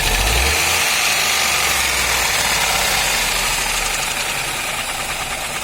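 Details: Ford Ka three-cylinder at idle with slight throttle blips: steady, fairly even knock about three times a second over the engine.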